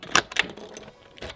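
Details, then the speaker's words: Finnish home's self-locking front door shutting: a few sharp metallic clicks as the latch snaps home and locks automatically on closing, with no key needed; normal latch operation. "so when you close the door you'll hear this clicking sound"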